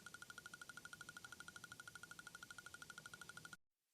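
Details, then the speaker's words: New-era Harley-Davidson CVO parked with ignition off: fast, even light ticking, about ten a second, from the right side cover. Saddlebag power-lock relays under the ABS module chattering; linked to parasitic battery draw. "so I had a viewer reach out to me who's done a little more investigation about this ticking sound and he discovered is coming from the relays underneath the ABS module"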